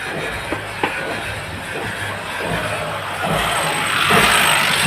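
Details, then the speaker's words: Ford EcoSport three-cylinder EcoBoost with blue and black smoke and misfire won't rev past 2000 rpm; rough engine barely swells when revved; scanner shows fuel rail system pressure too low and fuel regulator performance codes. "यह race भी नहीं ले रही है य देखो ऐसे कर रही है 2000 से ऊपर आरपीएम नहीं जा रहे"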